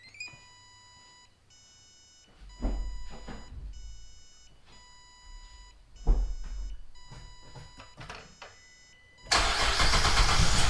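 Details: 2009-2017 GM 3.6 Chevrolet Traverse, after alternator replacement and battery reconnection: door chime, starter cranks, engine catches quickly and settles into a steady smooth idle with no odd noises; now charging at 14.8 V. Normal start and idle.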